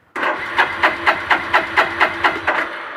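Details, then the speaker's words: 1999 Suzuki GZ250 motorcycle cranking after starter clutch rebuild for slippage: steady cranking, even compression pulses about twice a second, no grinding or metallic noise; starter clutch engaging cleanly. "so we have our starter clutch rebuilt there no grinding or any kind of metallic noises it seems to be cranking over very nice and smoothly"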